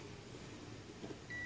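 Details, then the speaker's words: 4D56 diesel cranking no start diagnosis, multimeter on continuity test across the fuse and wiring: steady high beep, clean continuity tone; ignition switch, fuse and wiring are fine. "now the next thing that you would want to do is to put your multimeter on your continuity test and let's perform continuity and it should be as you can hear sweeping speeding as well"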